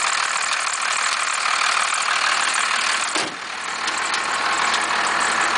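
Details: 1991.5 first-gen Cummins 12-valve diesel, cold start at about -10, slight squeal: idle with loose regular metallic rattle, about four taps a second, over clatter; knock source not identified.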